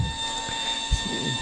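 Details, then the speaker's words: Powered Retracta Ladder run by a linear actuator (1,000 lb lifting, 4,000 lb holding force) on its up switch: even, steady motor hum with constant pitch as the ladder rises. Normal linear actuator operation. "you see the linear actuator uh moving the ladder that linear actuator has 1,000 lb lifting force and a 4,000lb holding Force"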